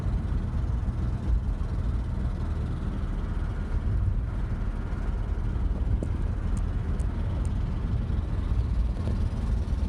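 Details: 1986 Mazda B2000 SE-5 while driving: heavy boomy low rumble and loud blatting drone filling the cab from a horrendous exhaust leak.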